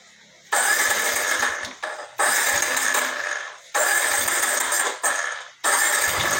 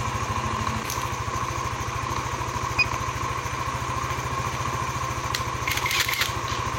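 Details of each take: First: Yamaha NMAX 155 (old model) with error code 61, idle speed control (ISC) fault, after carbon brush replacement: four bursts of running that rise then sag and stall whenever the throttle is released; hard to start, runs only on held throttle. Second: Yamaha NMAX 155 (old model) single-cylinder scooter after repair of error code 61 (ISC fault). Settles into a steady, even idle with a regular putter, no misses or rattles: normal idle.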